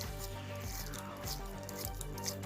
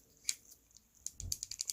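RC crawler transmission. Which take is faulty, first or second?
second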